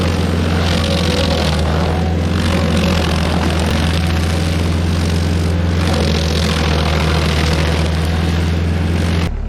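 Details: Stump grinder under load on its first job after a motor rebuild (new rings, clean piston), grinding a willow stump; steady, even drone with firm low hum, no knocks or misses, runs smoothly though leftover oil on the heat shield burned off.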